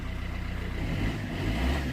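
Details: 2008 Vauxhall Corsa 1.3 CDTi (Z13DTH) diesel after the intermittent no-start was fixed with no parts and the injectors were reconnected: an even, low clatter at idle, then a light smooth rise in revs. No misses; normal.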